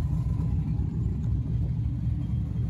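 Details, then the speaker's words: One drive around the block in freezing weather after rebuilding a rear differential that had whined from day one. Steady, low road rumble with no whine rising or falling with speed: the rebuilt rear end sounds healthy. "she sounds healthy. Drove it around the block one time."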